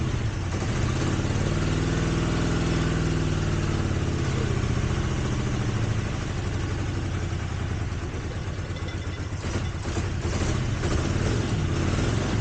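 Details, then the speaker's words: 1983 Honda GL650 V-twin on choke, first start after 30+ years stored outdoors with carbs cleaned: steady, even idle with smooth low beat, no misses, knocks or rattles, exhaust clear, no smoke; normal idle. "looks like a good engine starts right up doesn't smoke now this is after sitting for 30 years and it wasn't inside either it was outside somewhere"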